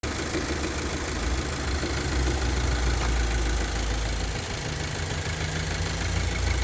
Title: Engine Knock